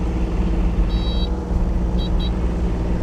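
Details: 2025 Kubota U35-4 mini excavator, 267 hours, ex-dealer demo: the three-cylinder diesel holds a steady, even low rumble. The short high beeps are from switching two-speed in and out; the machine sounds healthy.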